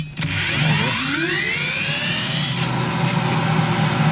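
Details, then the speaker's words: Blower motor on a molder/planer blower stand after replacing a bad bearing with two new bearings; spin test, clean whine climbs as motor spins up then holds smooth, even hum with no rubbing or grinding, healthy motor. "sounds perfect got good float here was the problem"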